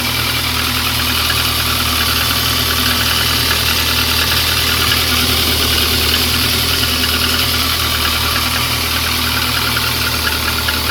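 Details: VAZ 2115 cold engine at idle: steady light tapping roughly three per second over the engine hum; engine knock present, source not pinned down.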